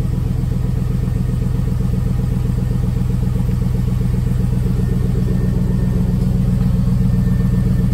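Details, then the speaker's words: Idle after patching a good-size exhaust hole with FIBERFIX heat wrap, in the high 30s in Washington with the garage door open: an even idle pulse near four per second, a steady low drone, and no ticking or puffing. No exhaust leak is seen. "as expected not see any exhaust leaks and they said it should be fairly easy to see exhausts or any leaks"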